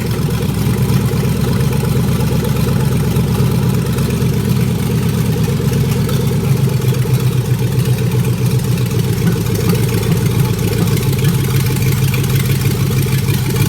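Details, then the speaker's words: 1956 Ford F100 with swapped LS 5.3 V8, first start wired without a fuse box using only three wires (ignition, constant battery power, starter signal): deep, steady idle with even rumble, no misses, knocks or ticks; normal idle. "so there you go and that's all you need to get it running"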